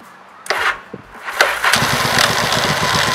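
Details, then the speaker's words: 1985 Yamaha Virago XV700 after fitting a voltage stabilizer to the ignition feed, weak battery: brief touch of the starter and the V-twin fires almost at once, settling into a steady, even idle; normal quick start. "improve man did you hurt I just barely touched the button I need to just like wide straightaway"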